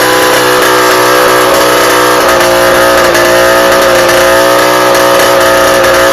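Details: Rebuilt two-stroke cyclo (moped) engine at full throttle after bench break-in: flat, strained steady low drone instead of revving freely; exhaust choked.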